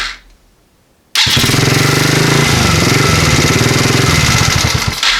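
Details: Chinese ATV with newly wired starter solenoid, start button and kill switch: quick catch into a steady, even idle for about four seconds, then clean kill-switch shutoff; sound start and shutoff.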